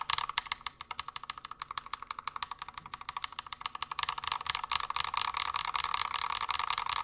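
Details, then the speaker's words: Stock, completely unlubed Glorious Panda keyboard switches typed fast: sharp, slightly ringing clacks with a thin metallic ping, audible spring and leaf noise from the unlubricated switches. "Not a terrible tone. You can definitely hear the spring and some of the leaf noise, but this is completely unlubed."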